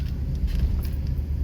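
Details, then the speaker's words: 2005 or 2006 Dodge Dakota while driving (mileage unknown): constant deep hum and growl under the road rumble that only occurs while rolling and seems to come from the front; owner suspects shot front hub bearings. "oh yeah it's real loud so i got to get this truck in the shop and in the air so i can find out um if my suspicious is accurate i suspect her bearings are shot okay"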